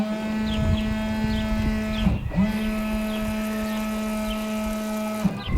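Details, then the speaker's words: Volkswagen Rabbit Pickup windscreen washer pump after fitting US-sourced part: steady, even electric hum, clean buzz, no rattle or grind; earlier noise gone and pump sounds right, though no fluid squirts, owner suspects clogged lines. "She didn't squirt, but the noise went away. You remember that noise is gone. It sounds like it should."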